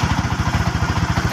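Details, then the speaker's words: Sniper 150 motorcycle at excessively high idle: loose clattering rattle on every firing pulse, about ten per second, which quiets when the clutch lever is pulled; worn clutch housing damper. "Ayan, Sniper one fifty na yung sakit niya ay yung clutch housing. ah, Alam na natin yan na laging damper na nasisira."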